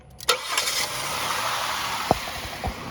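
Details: Toyota Corolla that only clicked on starting: after bypassing a corroded positive battery cable with a jumper cable, one quick crank fires it right away into a quiet idle with a few light clicks; bad cable, not the starter.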